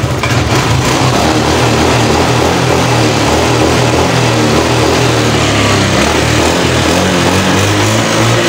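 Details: Car engine after catalytic converter cleaned/replaced with pipe, throttle body, timing and spark plugs serviced: pulls cleanly from low revs with free, steady exhaust note, no choking or hesitation, unlike the earlier bogging at low revs.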